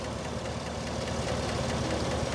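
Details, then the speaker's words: 2017 Chevy Silverado 5.3 V8, about 131,680 miles, warm after 10 minutes idling, oil level fine, exhaust manifold bolts present: fast, light ticking over a steady idle, heard from one side; suspected lifter tick, unconfirmed. "but like I said I'm confident that this is in fact a lifter issue compared to the other ones that I've had"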